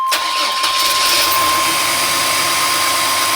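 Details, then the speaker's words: GM Safari/Astro 4.3 L V6 after ignition coil replacement, battery a little low: the engine catches with a brief stumble, then settles into a steady, smooth idle with no misfire, unlike the stutter before the repair. "oh my god listen to listen to just how smooth that sounds holy smokes i should have done this a while ago wow that is smooth"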